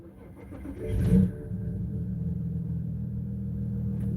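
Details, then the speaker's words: BMW E92 335i first start after a new valve cover gasket, spark plugs and coil packs: quick rev flare, then a smooth even low idle with no shaking, stumble or misfire; normal start and idle. "sounds good it's not uh it's not uh uh shaking or anything like that we don't got any misfires"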